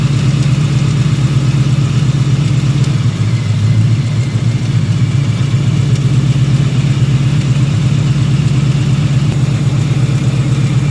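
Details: 2018 Ford Mustang GT V8 at idle after sitting a few hours, with a loud exhaust: faint, quick, steady ticking that the owner places low on the passenger side; owner doubts the bottom end is failing; cause unclear.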